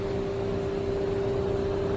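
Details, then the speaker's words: Radio Shack Concertmate 970 keyboard from the early 1990s, on mains power after cleaning: a constant mid-pitched hum from the speakers with nothing playing, absent on batteries; suspected weak power-supply filter capacitor. "okay it's all together all the dirts been cleaned off it and guess what that sound came back"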